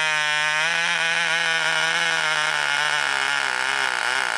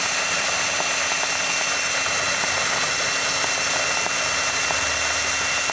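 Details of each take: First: Cox glow engine from a wrecking yard, first start on nitro fuel with glow plug powered by a battery pack and the needle loosened: high, steady buzzing scream with slight wavering near the end; runs well with good compression. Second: Small Cox two-stroke glow engine on nitro fuel, glow plug battery-powered, first start-up: shrill high-pitched buzz held steady a few seconds, running lean/unsettled while needle setting is still being found.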